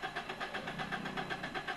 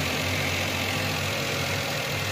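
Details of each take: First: Suzuki Alto (2021; thought to be a 2019/20 model) long-cranking without the accelerator pressed: steady rhythmic cranking at about eight pulses a second, never catching, and DTC P0336 appears. Crankshaft position sensor signal is disrupted by bent reluctor teeth. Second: Suzuki Alto (2021) with a cold engine after a P0336 long-cranking fault: settles into a steady, even idle with a faint light rattle, attributed to a loose bolt that needs tightening.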